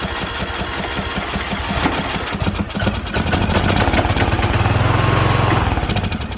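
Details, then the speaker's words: Briggs & Stratton 19.5HP engine on a John Deere LA110 lawn tractor, fuel pump confirmed working: starter churns in a quick, uneven chug for several seconds but never catches; fuel in bowl not rising through emulsion, carburetor dirty and plugged. "Okay. So, it means that fuel is in the bowl, but it's not going up the emulsion, which means carburetor is dirty."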